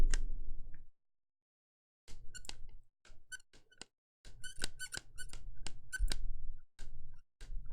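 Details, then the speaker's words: AKG K7XX headphones: plastic headband gives sharp squeaks in quick irregular bursts when flexed, plastic frame creaking against itself. "first thing we'll talk about that any headphone is built quality these things are plastic and they squeak"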